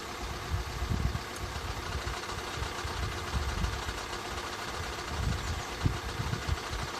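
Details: 2013 Skoda 1.6, 105 hp, at quiet idle. Irregular low thumps and knock-like bumps about every second over the hum. Abnormal engine noise, source unclear.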